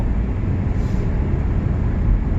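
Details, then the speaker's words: 2010 Toyota Corolla S with pending P0304 cylinder 4 misfire code, at full throttle after restarting: deep, even engine drone pulling hard with no stumble; the intermittent misfire isn't showing right now. "i don't know if the misfire is gone but i'm gonna full throttle right now and now it's full throttle so i have no idea why now"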